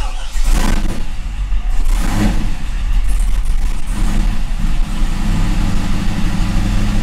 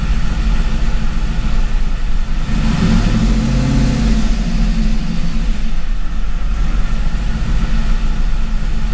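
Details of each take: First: C5 Corvette Gen 3 LS1 with an LS3 90mm gold-blade throttle body, run on the 411 PCM after an HP Tuners tweak with no wiring changes: cold start catches with revving flares, then an uneven hunting idle; rough cold start and idle. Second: C5 Corvette Gen 3 LS1 with LS3 90 mm gold-blade throttle body, cold start after a difficult start: deep steady rumble with a brief rev blip, then even idle warming up without misfire; closed loop set at 150 degrees.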